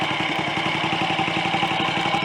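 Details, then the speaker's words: Royal Enfield 250 GT single-cylinder after top-end rebuild (cylinder head, valves, upside-down valve springs corrected, pushrod, alternator rotor/stator fit): even, rapid putter at idle, steady beat, no knocking; oil pumped back up, smoke settled; normal idle. "but i'm quite encouraged by the way that sounds so perhaps my next installment with a bit luck might be a chat before we go for a ride on it"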